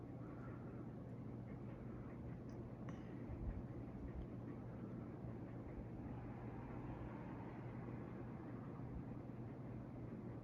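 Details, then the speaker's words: Boston Harbor Hugger 42-inch ceiling fan on high speed: a steady, low, even hum with no ticking, wobble or rubbing. Quiet and moving a good amount of air; normal operation. "It's pretty quiet on the speed, which is nice. It's pushing a very good amount of air for its size."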